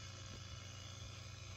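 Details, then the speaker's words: ART Pro Channel II tube preamplifier, connected to a bass amplifier and fed 123 V from a variac: steady unchanging 120 Hz mains buzz, worse with high incoming line voltage; power-supply section implicated (R245/R41 47 ohm 5 W resistors). "that is 120 hertz buzzing that is causing a problem and it can actually get worse if you have High incoming voltage"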